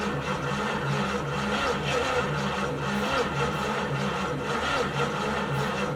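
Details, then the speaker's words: 1972 Chevy G10 van, 307 small-block V8 with automatic, sat since 1997: after the old rusty starter would not crank even jumped directly, a brand-new starter is fitted and spins the engine with steady, even churning, no grinding; engine cranking. "so here's a little update the engine you can see how Rusty that is it's about how the starter looked starter would not crank over no matter what I did I jumped jumper cable straight to it there's a brand new one so I'm gonna throw it in we'll see if the engine will crank over"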